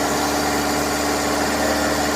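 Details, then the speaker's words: Daihatsu Taruna/Feroza carburettor after making the primary power-jet piston work: even, steady idle, smooth unbroken hum, no hunting or misses; primary no longer over-fuelling. "agak enak artinya ini untuk eh setelah kita fungsikan tadi piston powerjet di bagian primer tidak kelebihan bensin lagi"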